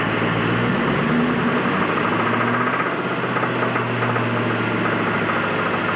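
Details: 1999 Ford Mustang GT with the 4.6 two-valve V8 at idle; a deep steady knock about four times a second following engine speed, rod knock after the engine was run low on oil.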